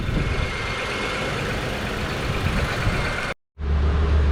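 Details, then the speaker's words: 2005 Honda Accord 3.0L V6 with replacement engine, idling at 800 rpm while warming up after first start: smooth settled low hum with faint puffing from a suspected small exhaust leak; no check engine light. "And she fired right up. Sounds good. Sounds like we got a little bit of an exhaust leak, but man, she's idling pretty good. She's idling right at 800."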